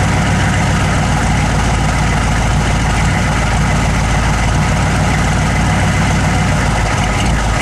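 Deep, heavy idle with a slightly uneven, lumpy beat under a steady drone; the engine isn't running cleanly, cause undetermined.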